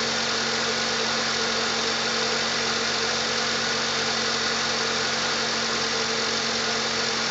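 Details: 1997 Jeep Wrangler TJ 2.5L petrol after replacing leaking exhaust manifold gasket and missing stud and fitting a 4.0L throttle body: smooth, even idle with no ticking or puffing from the manifold.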